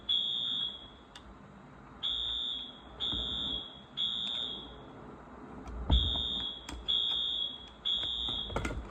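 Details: Wheelock new-series fire alarm horn, wired up and tested: shrill, steady-pitched horn blasts about a second long with short gaps between; alarm horn sounding properly.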